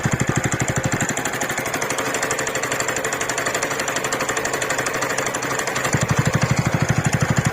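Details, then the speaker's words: TVS Ntorq scooter idling: steady rapid tick/knock about three per second from the rotor fan area; service center found a worn one-way starter clutch. One-way starter clutch knock. "अगर आपकी scooty में भी ऐसी आवाज आती है जैसी मैं आपको दिखा रहा हूं तो आप मान लीजिए कि आपका अच्छा खर्चा बैठने वाला है"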